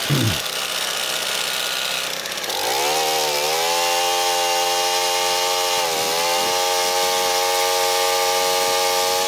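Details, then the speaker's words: Small engine that had been tossed around on the bench, started after priming on choke, which it had to run on for a few minutes; it catches after a couple of seconds and holds a steady, even buzz with no misses or surging. Normal running. "I had to run it on choke just for a few minutes. I didn't touch anything else, >> but she starts right up. Runs good."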